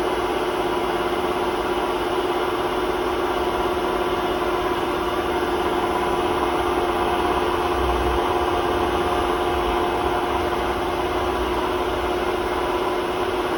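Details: Hotpoint WMA32 washing machine at 800 rpm spin in its last run on bad bearings before replacement; constant rough roar and droning hum; worn drum bearing.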